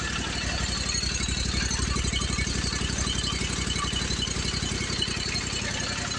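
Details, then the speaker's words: Commercial Briggs & Stratton 25hp V-twin on a Simplicity Champion XT zero turn, heads replaced after a pushrod problem, near end of repair. Even, steady idle with regular pulses and no misses, knocks or hunting. Sounds normal: normal idle. "l have to see if I have to adjust the idle, but to me that sounds normal."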